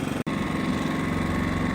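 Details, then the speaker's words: Genmax GM7500 iAED dual-fuel inverter generator on low idle, measured from right side at about 10 ft (fence behind), 66–68 dB, pretty quiet. Steady, even hum, no knocks, surges or hunting; normal low idle. "But you can see on this side, the Genmax is coming in at 66 to 68. So not too bad. You can see it's pretty quiet. Right now it's on low idle."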